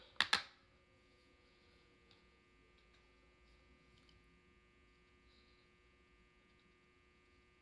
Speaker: if you have a vanity and your light sound like mine like you hear that buzzing noise and you fixed it what did you do